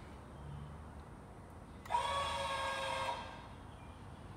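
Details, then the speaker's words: Lippert Ground Control TT on a 2017 Windjammer 3029W travel trailer, leveling side to side: short steady electric whine of about a second cutting off cleanly, no grinding or straining; jack motor sounds healthy. "Now it goes to the front ones again, and it's going to start leveling it up. Now it's going to start leveling side to side. And you can hear the motor."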